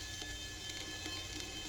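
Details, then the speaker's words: Yamaha Virago front brake rotor turned against a sanding board before pad replacement to cure squeal: steady, even sandpaper hiss with faint catches; rotor still true, just small burrs from debris gouges. "so it sounds like the rotor is still pretty true it's just got these little nibs on it"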